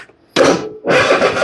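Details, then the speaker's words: Husqvarna riding mower, Kohler 7000 series engine, with new starter and carburetor, choke on: two bursts of strong, even cranking that never catch; runs on starting spray, no fuel reaching the carb due to a fuel flow blockage at the tank. "Add a little choke. I smell bad gas. It's got a new carburetor though."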